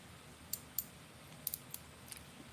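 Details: Drag clicker on a BFS baitcasting reel: sharp, irregular clicks in small bursts as line pulls off in a quiet room, loud as it should be, unlike a second reel whose clicker is muffled.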